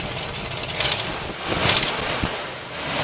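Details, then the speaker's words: 1979 Oldsmobile Cutlass barn find, 260 V8 that sat in a garage over 10 years, likely flex fan: fires up, idles a little unevenly with sharp puffing ticks over the low rumble; runs pretty nice but has a small exhaust leak. "Tell you what though, for a car that's been sitting in the garage for over 10 years, it runs pretty nice. It's got a little bit of an exhaust"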